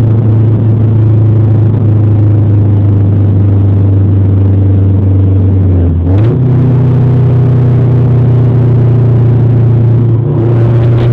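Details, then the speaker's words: Honda Civic 4-cylinder idling: loud deep blatty rumble with a couple of blips, from a bad exhaust leak/blowout. "got a wicked fucking exhaust blowout."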